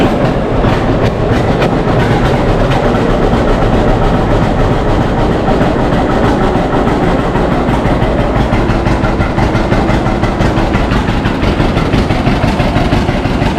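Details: 1952 John Deere G tractor just started after probably about four years unused, after refuelling the correct tank and fixing leaks; heavy, steady low chuffing at an even pace with no misses, knocks or surging: running smoothly, normal.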